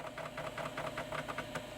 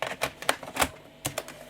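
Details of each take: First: 33-year-old 1989 Philips PCL 304 i386sx laptop floppy drive, feared stuck head or broken belt: steady whir of spinning disk with quick regular head-seek ticks about ten a second, then quieter; healthy drive, boots floppy. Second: Philips PCL 304 Intel i386SX laptop from 1989, single floppy drive: scattered clicks with no seeking, and it can no longer boot a bootable disk; the head seems unable to move, possibly from a cable damaged during earlier work.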